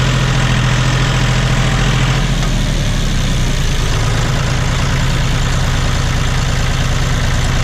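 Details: John Deere 5205 tractor diesel after a Stanadyne DB4327-5913 injection pump replacement, idling in heavy rain: a low, steady clatter firing evenly with no stumble. No leaks are seen, and it sounds really good.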